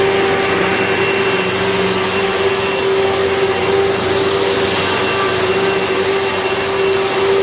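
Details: 2000 Dirt Devil Featherlite upright vacuum, test run with a bag after four bearings were rebuilt (two brush roll, two motor): a loud, steady motor whine at one constant pitch over an even rush of air, no grinding or rumble. Clearly improved, running normally.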